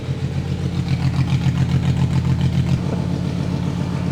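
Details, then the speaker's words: Abandoned VW Phaeton W12 with secondary catalytic converters removed, started up: very loud deep booming drone with rapid even pulse as revs rise and settle, "like a dinosaur"; decatted exhaust far too loud. "I don't know what to say. That is too loud. Oh my God, it sounds like a dinosaur is in here."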